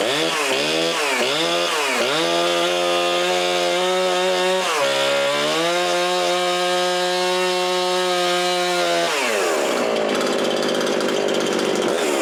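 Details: Husqvarna 350 18" chainsaw after rebuild with new cylinder, piston, ring and gaskets, muffler gasket left off (possible exhaust leak): revs to a clean steady buzz, then bogs into the cut and pulls through wood; normal running.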